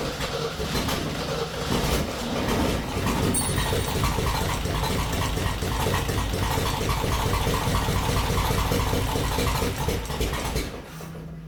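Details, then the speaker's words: 1966 Jeep CJ5, long-sitting, after rewiring ignition with independent power wire to coil, gas poured in: catches and runs a steady slightly lumpy low throb about ten seconds then cuts off; spark fixed, coil and wire not hot, no short. "And just like that, she's running. And our coil or wire both are not hot, so that means we don't have a short."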